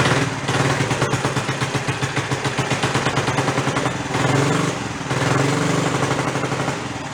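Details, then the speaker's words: 50-year-old abandoned Rupp mini bike, revived, primed, just started with choke partly on: small single-cylinder engine popping at a fast, slightly uneven idle with a rich, choked burble. "And choke on. Give her a couple of primer shots. There you go, leave the choke on a little bit."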